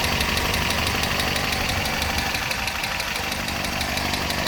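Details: 1971 Datsun PL521 (1600) pickup, warm idle with a very quiet exhaust: light, quick ticking of about three per second over a smooth, even idle; the engine is called very smooth.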